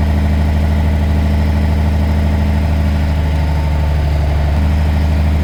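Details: Truck diesel restarted in neutral to rebuild air pressure after re-piping the diff-lock air feed under the dashboard: steady, even low idle with no knocks or misses and the compressor working toward 120; healthy idle.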